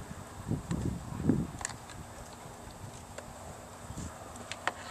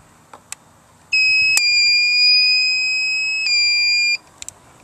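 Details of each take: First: Power drill run from 750 watt inverter on 12 V marine/RV battery charged by 45 watt Harbor Freight solar kit: after quiet lead-in, steady high motor whine with gritty buzz at even speed; drill runs normally. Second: Harbor Freight 45 W solar kit, inverter hooked to 12 V marine/RV battery with its power switch already on: one steady high-pitched beep about three seconds on connection; inverter alarm beep.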